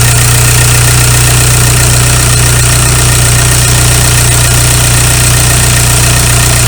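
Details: 2001 VW Golf TDI ALH diesel after injection pump head plug seal replacement and bleeding air from lines: steady idle with even light clatter, about three beats a second, no misses or hunting; normal diesel idle.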